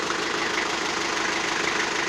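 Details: Toyota 4B diesel idling with a steady, harder-than-normal clatter and knock that began after an injection pump repair (plunger pair and nozzle replaced) and won't adjust out; it is worse on throttle blips and coasting.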